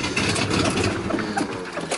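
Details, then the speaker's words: Mercedes W123 Pullman limousine engine running briefly on gas poured down the carb: rough run with uneven puffing rasp over the engine note; exhaust leak, carb needs rebuild and fuel pump isn't pumping fuel. "so it's a runner you definitely have exhaust leaf and you definitely need to do a little work on it"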